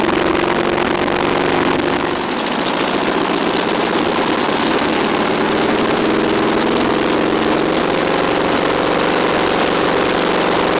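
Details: Old VW pressed-bumper bus air-cooled flat-four, sitting over 50 years, fuel pump suspected bad: runs at a steady, even idle with a slowly rising tone, the old engine running again.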